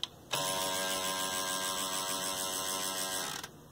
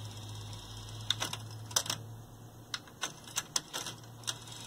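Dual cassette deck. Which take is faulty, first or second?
first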